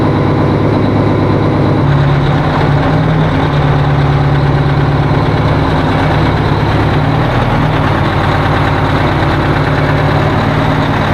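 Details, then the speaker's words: 1980 Peterbilt 359 diesel on first start of the year with jumped batteries: heavy idle with uneven, stumbling beat instead of smooth drone; rough running, owner suspects another lost injector. "poor old trucks running like it ought to be smoother than that I'm not happy with it we'll have to mess with it boys"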